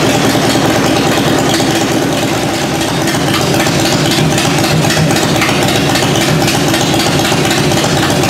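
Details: 1994 Harley-Davidson FLHTCU, first start after carburetor rebuild, on choke, in neutral, old oil in, cold shop around 45–50°F, no mufflers so loud: steady open-pipe V-twin fast idle without misses; oil light out, charging, slight backfire blamed on incomplete warm-up; runs properly.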